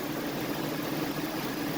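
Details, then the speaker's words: 2003 Chevrolet Tahoe V8, 337k miles, engine swap, idling after the lifters and rods (pushrods) were fixed: smooth, even idle with a steady low drone and no ticking or clatter; sounds healthy, as it should. "All right, so after Justin fixed the lifters and the rods, now she sounds beautiful. That sounds how it should."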